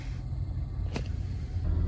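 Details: 2010 Toyota Corolla after replacing a misfiring cylinder 3 coil with a new NGK coil and new spark plugs (old plug gaps were very large); heard from inside the cabin on a test drive, a low, even rumble with no stumbles, zero misfires.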